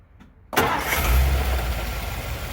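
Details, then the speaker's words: Restored 1957 Ford Fairlane 500 convertible V8 that sat for years, started after cleaning the points, freeing a stuck float and fixing a loose, dirty starter-solenoid-to-coil wire: short crank, catches at once, even steady idle; normal start. "and it was loose and dirty wiggle it around and she fired pretty much right up"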